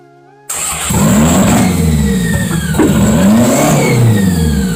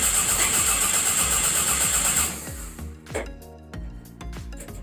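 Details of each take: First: 1992 Toyota MR2 at its first start: it fires instantly and runs through a few blips with a steady, clean exhaust note and no misses or knocks. Vacuum line and idle issues are still to be sorted. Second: 1992 Toyota MR2 engine-swap project with a 2.2-litre's parts reused cranks evenly and steadily but never catches; crank no start.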